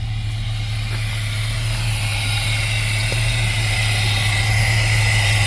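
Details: 1979 GMC C15 pickup, just delivered, first start, at idle. Steady, even low idle with a smooth rhythm and no ticking, clanging or valve-train noise, no smoke seen. Engine sounds healthy. Normal idle.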